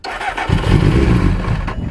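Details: Salvage Triumph TT600 motorcycle, first start, no choke, recently changed oil: starter whir while cranking, then it just catches into an uneven low rumble; hard starting after solenoid clicks with no crank, clutch switch involved.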